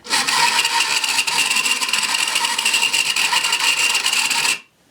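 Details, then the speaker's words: 1980s Kamco Saturn robot toy motor run directly from a battery: harsh, raspy grinding with a thin high whine for about four seconds; the motor itself is rough, gear already lubricated with WD-40 so not the gear. "Alright, the motor of this thing sounds horrible."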